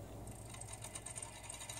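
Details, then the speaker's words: Bose CD3000 skips with fast light clicking over a hum as the disc spins and picks up no music; the clicking stops and it plays well when turned on its side. "sounds like kind of a clicking noise that's going on when the CD is going around. And as you can see, it's not picking up the music."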